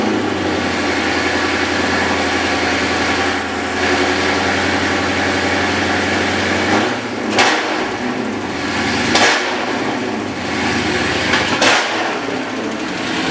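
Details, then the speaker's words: Dodge Scat Pack engine with a loud, sharp ticking knock following idle and rising with throttle blips; collapsed lifter on cylinder 4, which had a misfire, letting the pushrod hammer. "That lifter dropped down, causing all that knock he hears. When the car's on, you hear that knock?"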